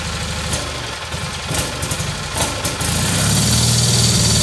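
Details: Kohler Magnum M18 from a Cub Cadet 1882, rebuilt and run on a test stand with gravity-fed nurse tank, first start in over two years: fires and runs with a steady lumpy beat that firms up; a little rich, smells like rich bog, needs carb tuning.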